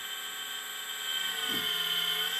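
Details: CSMI VLV360 RC hydraulic excavator pump after contracting a cylinder (an earlier odd sound was suspected to be low tank oil): a steady high electric whine with a smooth even hum and no surging; normal.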